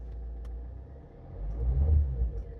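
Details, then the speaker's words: Alfa Romeo MiTo 1.6 diesel bought at auction, started after the glow plug light went off: low rumble swells as it catches, then settles into an even, steady idle with no engine warning lights; a healthy diesel start. "We've got battery, glow plug light's gone off. It started. Sounds okay."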